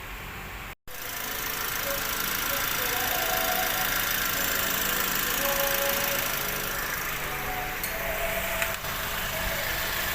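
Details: Perodua Bezza idling after water pump replacement: even steady idle, earlier noise gone, no squeal, rattle or grinding from engine front; sounds healthy.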